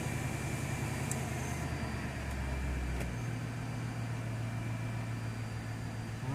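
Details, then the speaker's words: 2002 Mercedes CL500 V8 settling to idle after start-up following replacement of the spark plugs, plug wires and coil packs. An even, steady low hum with no stumbles or uneven beats: smooth, with no misfire or rough idle. "right i think we got it she sounds smooth no misfire no rough idle"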